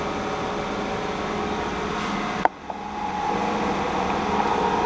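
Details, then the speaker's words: K&T milling machine spindle rotating at 25 rpm, with the pump running: even hum and steady pump whir, a click and brief dip, then smooth running. Normal. "nice and smooth you can hear the pump working whenever you turn this on"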